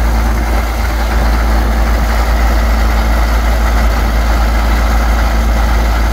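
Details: Cold diesel tractor idling to warm up after an ether-assisted start in February snow: a deep, steady rumble with an even chuff about four times a second. A slight exhaust leak from a broken manifold stud is audible; otherwise a normal idle.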